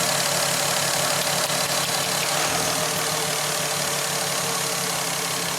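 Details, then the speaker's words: VW Golf R32 non-runner with wet plugs on cylinders 6 and 5 (suspected leaking injectors), restarted after sensors and fuel pump were replugged: very quiet, lumpy, uneven idle about three pulses a second, a labored weak idle of unknown cause. "so now it's very quiet very quiet not sure how I feel about this sounds very labored doesn't it to"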